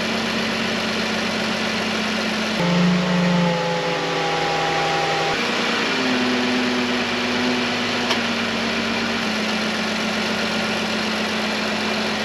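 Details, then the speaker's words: Dodge Journey power steering pump after fluid change (old fluid suspected, pump thought fine), idling after remote start: faint steady whine, noticeably quieter than before; whine easing with fresh fluid. "still hear a little bit of it but it's certainly quieter and as that new fluid Works its way into everything I'm hoping that it gets even better"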